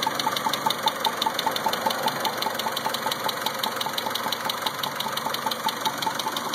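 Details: 2000 Mitsubishi Eclipse four-cylinder petrol engine idling rough with cylinder 2 misfire: sharp, steady tapping about five clicks a second over the running note; unclear whether tapping relates to the misfire.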